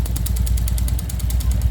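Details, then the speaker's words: Honda Pop 110i motorcycle idling: fast metallic tinny rattle riding each firing pulse; a coin lodged on the engine. "Pense aí a moeda caiu daqui de dentro na hora de trocar o dinheiro com o frentista do posto rolou e ficou aqui"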